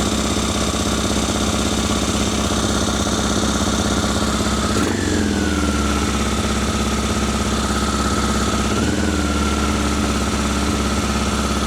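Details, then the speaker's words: Honda Africa Twin after rebuild, started once fuel had filled both carburettors, with air intakes not yet refitted: both cylinders firing evenly, but the idle sits fast and steady with small blips. It revved high last time too and settled. "She runs both cylinders. She runs a treat. It's quite high revving. It seemed to sort itself out last time."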